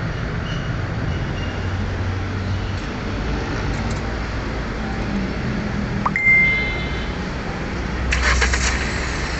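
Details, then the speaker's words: Hyundai Accent that had a check engine light and misfire, after reconnecting two broken injector wires: low, even idle rumble with no stumble, a few cabin clunks, now running smoothly on all cylinders. "so nawala na guys yung pamam ng makina pino na yung andar niya yan"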